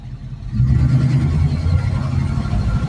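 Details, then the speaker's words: 1972 AMC Javelin AMX 401 automatic left in drive on a short test drive: engine pulls up under acceleration, then revs drop smoothly into second without slip or flare; a healthy 1-2 upshift. "but there's first into second with no problems."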